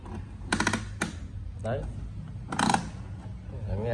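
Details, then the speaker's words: Canon TS6130 colour inkjet printer during print-head cleaning and ink pumping: irregular sharp clacks a few seconds apart over a quiet mechanism, an abnormal click likely in the pump area; printer also prints only yellow and little black. "tạch tạch tạch tạch tạch tạch tạch tạch phảng lo loát thì nghe thấy tiếng C tạch đấy"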